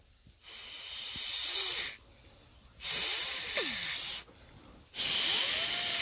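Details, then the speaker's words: Hayward Navigator pool vacuum steering box after reseating the steering gears, blown through by mouth: three breathy blasts with a faint rising whistle as the gears spin freely, the normal sound of a healthy box. "so that little whistling sound that's the sound of all the gears turning inside and that means that you're good to go to put everything back together again"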